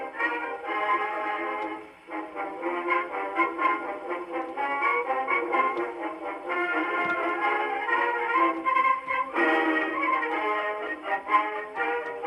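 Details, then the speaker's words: Victrola 50 phonograph (serial 90,087, circa 1922–23), rebuilt reproducer test playing a Marine Band march: usual thin brassy horn tone, clear and undistorted, no buzz or rattle; normal playback. "So far, so good. Sounds pretty decent."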